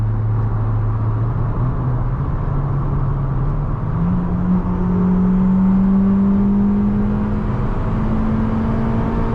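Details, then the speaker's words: Fiat Panda with a swapped 1.4 T-Jet turbo engine from an Abarth 595 Competizione, driving under acceleration: engine note climbs with a rising whistle as the turbo spools up cleanly and much quicker than before; normal spool. "You can hear the turbo spooling up. Almost, I'm not going to say instantly, but it's a lot better."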